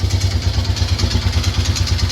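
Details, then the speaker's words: Yamaha Grizzly 600 ATV engine at cold idle after carb work and new intake boot; rapid even clatter over a low thump, a noise down in the engine of unknown source; owner suspects engine teardown needed. "I don't mind doing it, but I mean, that's bad is it's got that damn, it's got a noise down in the engine."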